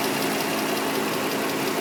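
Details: 2003 Nissan Murano, recently started ticking, fresh CVT, power steering and brake fluids, Castrol synthetic oil: light fast ticking over an even idle, constant throughout; top-end tick of unknown origin.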